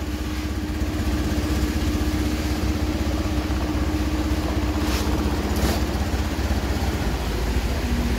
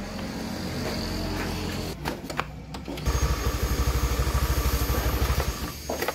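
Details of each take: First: Honda Beat F1 scooter, stalling on the road and using oil: the kick-start feels light and compression is lost; a steady low idle with a soft, slightly uneven beat about twice a second, with no smoke. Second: Honda Beat F1 after an overhaul with new rings and lapped valves (liner normal, no oversize) for lost compression and stalling: it catches and settles into a smooth, even putter about three beats a second, idled 5-10 minutes to warm up.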